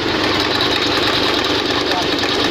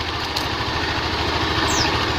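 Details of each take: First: Honda Beat FI scooter fitted with overly extreme CVT rollers: coarse, gravelly roar over the revs with strong vibration, sounding like a factory engine; rough CVT, damaged drive face. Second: Automatic scooter CVT after extreme racing rollers caused harsh rattle and shaking, CVT reassembled, bearing not replaced; even, steady engine hum with no rattle or shudder from the belt drive, now smooth with no vibration.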